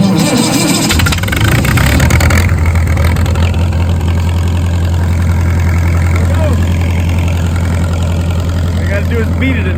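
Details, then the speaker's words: Cold-morning start of a welder engine: ragged, clattery cranking settles into a steady low drone once it finally catches; owner says it dislikes cold mornings and prefers warm weather, cause unknown. "I do not know what the deal is with it doesn't like a good cold morning it likes warm weather a little better"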